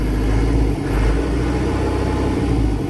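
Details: Matbro diesel with a new turbo fitted and piston issue fixed, refilled with 10.5 liters of oil, runs with a steady, even low rumble and smooth throttle swell, no knocks or misses; sounds much better.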